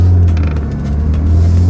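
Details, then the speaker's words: BMW M3 E36 under restoration, first drive after manual transmission fluid change: steady low groan with slight waver while pulling away in first gear; power steering pump issue. "And we have a power steering pump issue."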